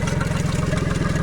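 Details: Tohatsu MFS 40A jet outboard at idle, about 45 PSI, fuel screen half full. It hesitates and sputters from half to full throttle. A steady low idle with a fast pulsing buzz from the recently replaced low-pressure fuel pump, which the owner finds suspicious; a pinhole fuel-line leak was later found.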